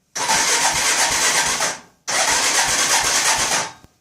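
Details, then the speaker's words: Odes 400 4x4 ATV that had not run in a couple of years, rockers adjusted, timing slightly off, spark, compression and fuel present: two fast whirring cranks under two seconds each with no firing; cranks but will not start. "I have spark I have compression I've got gas but when I hit the start button it won't start so"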